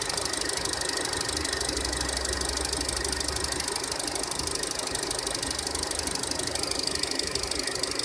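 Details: 2014 SsangYong Korando, G20D petrol engine, 33,000 km, timing chain replaced under warranty two years earlier, fresh oil change didn't help: quick even metallic ticking about three times a second at idle; owner suspects hydraulic lifters — engine ticking.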